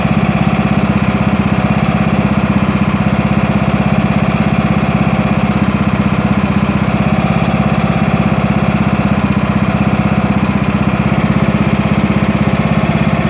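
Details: Craftsman T2200 tractor, Briggs 540cc, just reassembled after camshaft replacement: even, steady idle at about three firing beats per second, no misses or knocks; no leaks or exhaust smoke; healthy.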